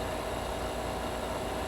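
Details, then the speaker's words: Vacmaster VP215 chamber vacuum sealer, oil-based pump with no exhaust buffer, running: a steady even hum with a mild tone on top, a little louder than the JVR Vac110 but quiet next to an oilless pump, no knocks or rattles; normal oil vacuum pump running. "this one does have a little bit more noise to it sealing it up and there you go another sealed bag just fine"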